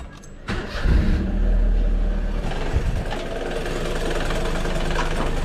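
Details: Car engine cranks, catches, then idles with a rough rattling grumble from the front; aircond also not cold. Cause: loose, condemned AC compressor pulley bearing; compressor to be removed.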